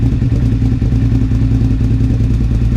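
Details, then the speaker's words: 2001 Suzuki SV650S V-twin on choke at first start after valve shim adjustment and carb removal; lumpy idle with irregular pops and burping, caused by an unplugged carburetor vacuum port, a vacuum leak. "There's also this one that I need to plug before, well, I needed to have this plugged and I didn't have it plugged. That's why that's why I was burping."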